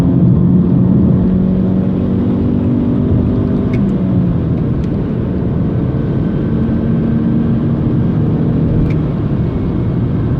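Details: 2007 BMW 320i E90: low hum under the engine rumble climbs in pitch as the car pulls, a drivetrain whine under acceleration; owner unsure whether rear differential or gearbox.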